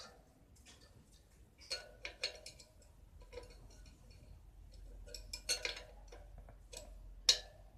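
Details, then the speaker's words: Bicycle wheel after truing bent rim by tightening spokes: quiet spin with light irregular freewheel ticks and no scraping; wheel turns freely without rubbing. "โอเคนะครับไม่มีเสียงแล้ว"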